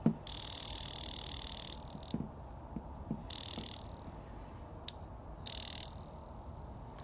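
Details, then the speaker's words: Range Rover high-pressure fuel injector (likely number 8) on a pulse tester at constant pulse: a few sharp, uneven clicks, then it stops firing though the tester still signals; valve inside suspected sticking; intermittent injector clicking. "but when we touch it, it only pulses a couple times before it dies out."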